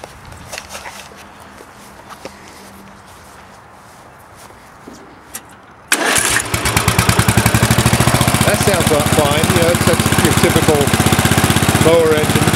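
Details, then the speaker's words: Murray tractor with a 16.5 HP Briggs & Stratton 31C707 and a substituted Kawasaki muffler, running under seat load. It is loud, with sharp, fast thumping at about four beats a second and backfiring through the exhaust, blamed on a carburetor problem. Loud exhaust. "but now it's really loud and it's like i'll say backfiring when it's under a load"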